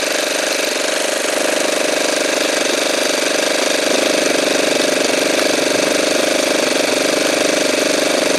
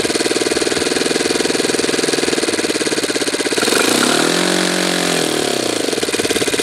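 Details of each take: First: Saito twin glow engine during carburetor trim adjustment: steady high-pitched buzz with a slightly soft, burbling edge at constant throttle; running a touch rich, spitting fuel out of the carburetor. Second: Saito twin model engine after low-speed needle adjustment, glow driver disconnected: crisp, even, fairly slow idle holds steady, dips briefly around four seconds and recovers; healthy idle.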